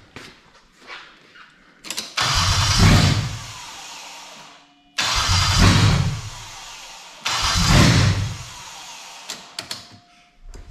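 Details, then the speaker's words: Toyota/Lexus JZ engine, mass airflow sensor plugged in but resting outside the air intake, so no airflow reading means no fuel; three cranking bursts whir and die without catching, a crank no start. "if you plug in the math but you don't have it in the air intake it's not going to calculate anything so the issue's going to think there's no air coming in therefore it's going to give no fuel"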